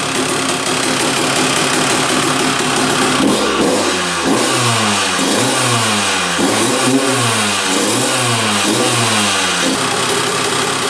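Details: 2001 Honda CR125 two-stroke dirt bike, first start after fix-up, choked: crisp high buzz climbing and dropping cleanly with repeated throttle blips, no misses or rattles; running pretty darn good, normal.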